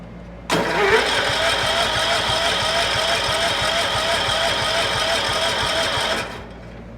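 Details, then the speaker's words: Cub Cadet 1450 tractor out of storage in about −30° wind chill, given starting fluid: the starter churns steadily at about three turns a second without firing, cranking but no start. Points were cleaned and spark, but no spark at the plug is suspected. "nothing so what we'll do is we'll pull the plug see what we got for spark i do have the points uncovered right now that's kind of how we left it last year uh we did clean the points last year and they are sparking but we are not getting spark i don't think to the plug"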